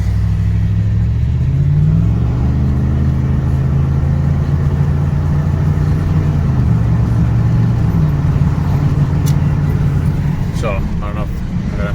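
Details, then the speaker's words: 2009 Ford F-150 V8 with about 120,000 miles at idle after the left-side exhaust manifold was replaced: deep, even rumble, and the diesel-like ticking from the exhaust side is gone. "check with the video later but it sounds a lot better no ticking so i'm super happy that's gone"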